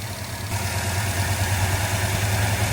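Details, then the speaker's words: 1966 Ford Fairlane, timing at 16 degrees initial, idle brought down; lumpy idle with uneven pulse and shake, suspected dead cylinder; ignition misfire. "If I go down to 1,000, I think we have a dead hole somewhere. Look at that thing shimmy. Yeah, it's not right."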